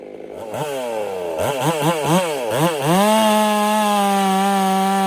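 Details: Ported Husqvarna 385 chainsaw during break-in, tune left slightly rich with a little top-end burble, cutting very hard oak: quick throttle blips, then a high steady scream holding pitch without bogging; smooth, normal cutting under load.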